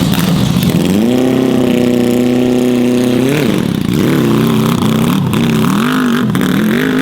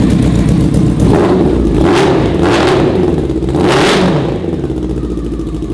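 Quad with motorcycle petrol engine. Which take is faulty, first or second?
first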